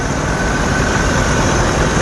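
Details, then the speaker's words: 1986 Ford F150 straight six idling after water pump replacement: steady, even, smooth low rumble with no knocks, misses or squeals, no front wobble; runs smooth and healthy. "this thing just sounds good"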